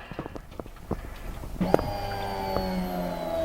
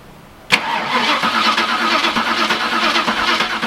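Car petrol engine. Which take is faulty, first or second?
second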